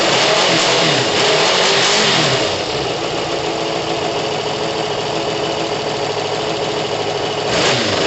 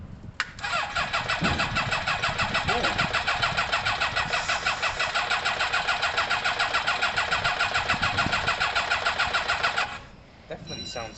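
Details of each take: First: Kawasaki ZL600 motorcycle with new coils, freshly tuned carbs and valves done, first start after sitting months, not yet warm, needs coolant; engine revs hard and settles into a fast, even run with no knocks or misses, sounding healthy. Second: Kawasaki ZL600 motorcycle after coils, carb tuning and valve work, exhaust pipes disconnected: catches then runs ragged, fast uneven pulsing, misfiring and rough, not settling to idle; firing order suspected, not confirmed.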